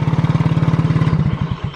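Quick even chugging pulses as the engine catches on the button, then the beat slows and fades, so the starter circuit works.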